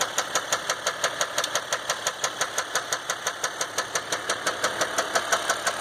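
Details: 2015 Dodge EcoDiesel, 18k miles, before second oil change: sharp even metallic knock about three per second hammering over idle; no check engine light, normal gauges and oil pressure, but no power and heavy shaking; cause undiagnosed.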